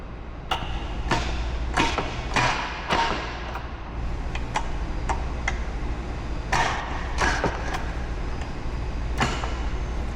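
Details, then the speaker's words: CD009 front-mount shifter relocation with reverse lockout after a fresh install; separate sharp clicks and thuds through 1st to 6th and reverse, each gear sounding slightly different, no grinding or rattle — normal shifter gate engagement. "First, second, third, fourth, 5th, 6th, and reverse. And you can clearly hear that audibly. Every gear sounds different."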